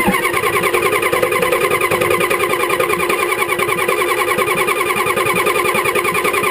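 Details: 1985 Ford 6.9L IH diesel, cold, sat about 5 months with glow plugs disabled because the controller failed and does not work above 45F, and possibly low compression; long, even cranking that never catches, a hard start.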